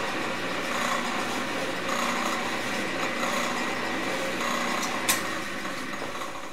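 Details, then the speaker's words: Vintage Delta Milwaukee drill press, all original, 110-volt motor: light motor hum with an uneven slap of about 220 a minute; the drive belt makes the noise, since quill and motor bearings are quiet with the belt off. "You know, it's the belt. Because I've actually taken the belt off and spun this by hand, and the quill bearings are quiet."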